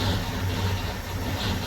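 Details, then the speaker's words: 1966 Ford Mustang idling just after its first start in 16 years off the road, stored under a carport: steady, low, even rumble, no clanking or misses, some smoke; sounds great, normal idle. "Sounds great. Not bad at all."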